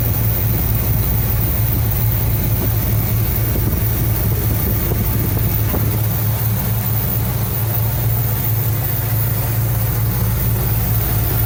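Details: 1975 Cadillac Fleetwood V8 idling about 5 minutes during valve cover gasket replacement, being checked for oil reaching the top end (it does). Deep, steady, even low rumble with nothing ticking or knocking on top; normal idle.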